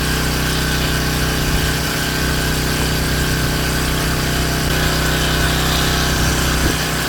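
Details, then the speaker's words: King Canada Powerforce 1500W generator, previously lacking governor response, after adjustment to about 120–121.5 V; hair dryer plugged in on low then medium, voltage holds and governor responds: steady even drone, no hunting or surging; normal governor response under load. "Alright, still got the same voltage. Putting out heat. Going low. We're going to go to medium. Oh yeah. She responded."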